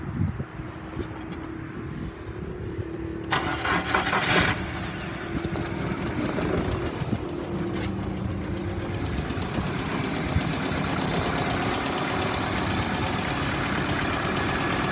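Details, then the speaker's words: 1998 Dodge Neon driver's ed car, 2.0 L four-cylinder, 3,600 miles: a few seconds of cranking, catches and runs rough on starting fluid then quickly shuts off; bad fuel pump suspected, fuel starvation. "it's running on a little bit of starting fluid that i sprayed and it will quickly shut off"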